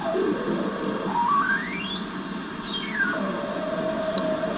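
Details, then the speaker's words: Zenith 5-S-29 tube radio powered up after Candohm resistor replacement, restuffed electrolytic cans and new power cord: whistle over steady hiss sweeps up and down then settles to a steady tone, birdies and squeals; oscillation, volume pot also faulty. "that this oscillation that you're hearing these birdies and squeals"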